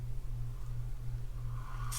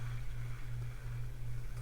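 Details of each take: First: Penn Slammer III 6500 spinning reel cranked by hand: thin whining tone over low hum appears only when cranked fast, fades when slow; reel singing, cause not yet found. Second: Penn Slammer III 6500 spinning reel that sang when cranked fast, after the rotor was removed and reassembled: low, even whir with a steady rotational pulse and no singing tone; the reel now retrieves quietly.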